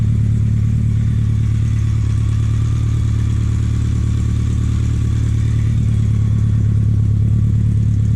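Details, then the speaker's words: BMW K100 cafe racer build, first start after restoration with tacho working: deep even idle with steady low pulse, no knocks or rattles; engine running smooth and healthy. "Man, I don't know if the microphone will pick this up, but that sounds mean."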